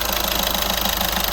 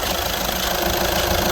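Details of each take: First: 2014 Skoda Superb 1.6 diesel after turbo wastegate actuator replacement (old one broken inside, noisy): fast even diesel tick at idle with steady hiss, no rattle or whistle; noise gone, repair done. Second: 2014 Skoda Superb 1.6 diesel: running with a fast even chattering rattle, roughly three a second, from the turbo wastegate actuator on top of the turbo at the back of the engine; broken actuator, being replaced.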